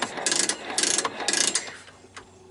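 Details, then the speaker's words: 1985 Honda ATC 250SX Astro, kickstarter worked: bursts of fast ratcheting clicks before it catches; kickstarter slipping, comes and goes, cause not confirmed. "Kickstarter kind of comes and goes like you know it's gone again"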